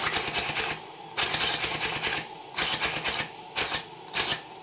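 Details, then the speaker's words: Southworth duplex boiler feed pump after repairs, live steam test from an undersized boiler at very low pressure, needed help starting. Bursts of hissing chuffs with gaps, sloppy wet exhaust; condensate in cylinders, water coming out of the exhaust. "not only can you hear how wet the pump sounds you can see the water coming out of the exhaust"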